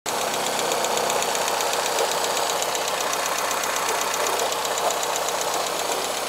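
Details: Cold engine that also consumes oil: fast, even tick, about two to three a second, riding high above a quiet idle; strange tapping inside the engine, cause unknown.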